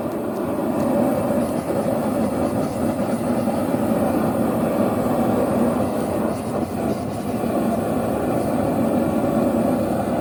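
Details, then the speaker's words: Vevor two-burner propane forge during forge welding, chokes closed for less oxygen: steady deep roar, no sputter or pulsing, softer sound; normal reducing flame. "Okay, so you can hear the sound of the fire change now, because now there's less oxygen in there."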